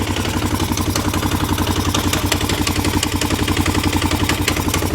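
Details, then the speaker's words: 1998 Honda Recon 250 ATV after top-end rebuild (new piston, rings, valves, seals): heavy, harsh regular knocking about four per second at idle, worse under load; source unclear, seems front or cylinder; owner suspects timing chain. "want to say it might be the timing chain or something. I don't know, it sounds horrible. Honestly, I can't, it's so hard to tell where it's coming from."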